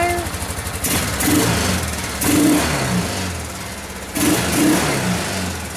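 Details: 1995 Kawasaki Bayou 400 single cylinder, first start in a long time after fresh oil, new filter, new spark plug and fresh fuel; picks up on each throttle blip and settles back cleanly, no knocks or misses, runs fine.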